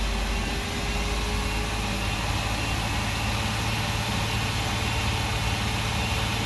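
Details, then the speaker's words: Workhorse W22/W24 chassis 8.1 Vortec with radiator blocked off, engine at 225°F: steady loud rushing air roar over low engine hum as the fan clutch locks up (expected near 205); normal fan clutch engagement. "all right it's finally starting to kick in it took a while that's the sound i've been waiting for it took it a while you have to get to 225"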